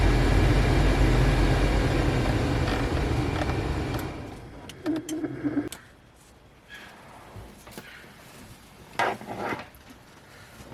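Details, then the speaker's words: Subaru Impreza blower motor: cabin fan roars loudly with a rough, rumbling undertone, noise starting when the AC is turned on and growing at higher fan speed; noisy blower motor. "hi guys this is a subaru impresser this car has some bad noise like this then we turn on the ac this nothing is gone then we going faster"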